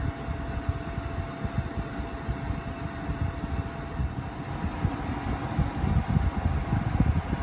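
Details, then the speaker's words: 2006 Harman Accentra pellet stove insert, refurbished with all seals and gaskets replaced and the vacuum seal improved, on its first-fire test. A steady, even blower whir with a faint constant tone and a soft rumble underneath. The exhaust blower is the loudest part; operation is normal. "the loudest noise right now is the exhaust blower but the exhaust blower will be inside the fireplace behind that frame and we may not hear much of it at all when it's running"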